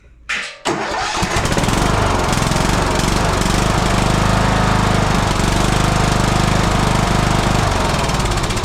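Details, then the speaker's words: Troy-Bilt Bronco riding mower, 18HP Kohler Courage, after an annual service with new oil and fuel filter (oil possibly overfilled): cranks briefly, catches, then settles into a slightly uneven, lumpy beat; still not running quite right. "it still ain't running just exactly perfect but it is a is a Coler courage"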